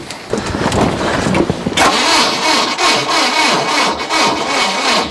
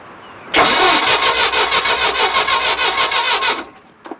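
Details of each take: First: 1968 Starcraft Islander, Mercruiser 120 hp inboard-outboard, first start attempt after storage: sluggish starter, about three laboured compression beats a second, short cranking bursts; battery too weak. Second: 1968 Starcraft Islander 23-foot cuddy boat, 120 hp Mercruiser inboard/outboard, barn find, on a jump starter pack reading 12.1 volts: brisk, even cranking at about three compression pulses a second for three seconds; the starter spins it hard, a strong healthy crank.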